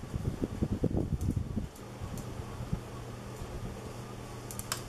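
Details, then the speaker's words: 1980s Moss WF Series 132 cm polished-brass ceiling fan, made in Hong Kong (speeds est. 55/120/160 rpm), one of the quieter units: brief handling noise, then soft steady low hum, no wobble or buzz; runs smoothly, moving lots of air. "it blows an excellent amount of air that's why i don't i don't really need it to go so much faster than this it's already a lot of air movement"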